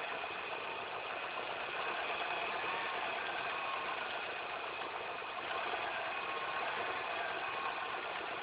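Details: Car engine at idle after replacing all belts, the timing chain and the tensioner; thin, uneven whirring chatter riding high over it, source not pinned down; abnormal idle noise.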